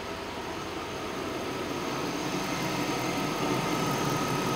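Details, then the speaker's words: Chevy Tahoe after an electric fan conversion with PCM wiring done, engine not yet warm, AC on; steady, even idle with a smooth rush of air from both fans on low, nothing knocking. AC blows cold. Normal idle with fans on low. "yeah they're on they're on low speed but they're both on oh yeah ac is blowing nice and cold finally"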